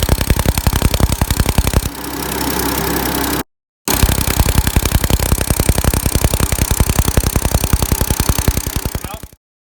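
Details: 2012 Ford F-150 XLT 3.5L twin-turbo EcoBoost, about 64,000 miles, before repair, cold startup: sharp regular ticking about 160 per minute over idle; bad passenger-side knocking on startup, chirping on acceleration, identified as exhaust manifold gasket leak.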